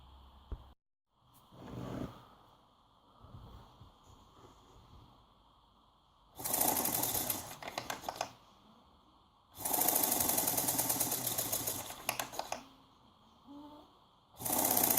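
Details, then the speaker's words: Volkswagen Golf Mk4 fuel pump motor removed and bench-tested on an adjustable power supply, running in bursts with a harsh buzzing rattle; suspected bad bearing. "You hear that sound? Sounds like a bad bearing for me."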